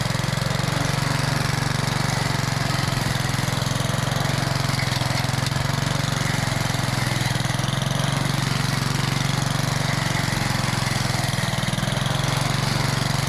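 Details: Old Rover lawn mower, first start after sitting 10 years, with the primer bulb refitted and primed: the small single-cylinder engine holds a steady, even rumble throughout with no misses or surging; runs healthy.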